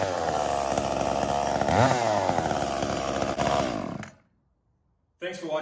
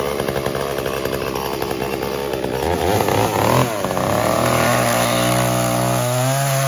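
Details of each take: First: Echo CS-345 chainsaw after a 1/8-turn richer high-speed screw adjustment (previously bogging lean) and a lowered idle: strong, steady two-stroke scream holding revs through the cut without bogging; running properly. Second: Echo CS-345 chainsaw cutting wood: screams high then pitch sags and bogs as chain bites; carburetor high-speed mixture too lean, fixed by turning H screw 1/8 turn counterclockwise to richen, idle T screw lowered slightly.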